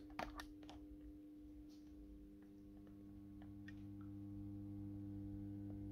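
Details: 1970s/80s AEG Minikoffer streetlight fixture, first startup with 125 W Osram Deluxe mercury vapor lamp, warming up: low steady mains hum from choke ballast, no buzzing or rattle; normal ballast hum.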